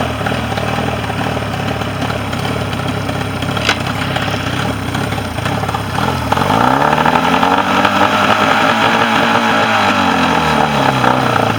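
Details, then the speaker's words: Mercury 40 two-stroke outboard that came in not idling, bottom cylinder not firing on balance check; after repair it idles steadily and revs smoothly on both cylinders with no stumble and no crankcase leak; normal running. "Run on both cylinders. And no crankcase leak."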